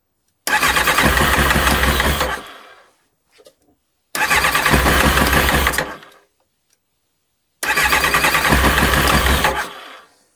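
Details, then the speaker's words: Kawasaki ZX9R four-cylinder after carb clean and spark plug work, fresh fuel just added, cold start on choke: three attempts, each catches, runs rough about two seconds, then dies; previously stalled at idle. "let's switch the ignition on bit of Choke will anything happen oh getting"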